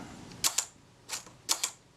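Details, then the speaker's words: Kodak Retina IIa shutter tested after reassembly at the 1/10 s slow speed: crisp paired open-close clicks about a tenth of a second apart, no drag or hesitancy; sounds smooth and good. "That sounds good. The main thing, particularly with the slow speeds, is that there shouldn't be any hesitancy. It should sound smooth. And that's all sounding very good."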